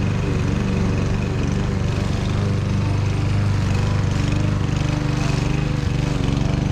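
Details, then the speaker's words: Fairly new Troy-Bilt mower, previously a no-start, with low compression, after dumping the fuel and cleaning the carburetor: steady, even drone holding speed while cutting thick grass, no misses or surging; normal running under load. "well that's a wrap we got it running and it's running a lot better than I thought it would going through that thick grass"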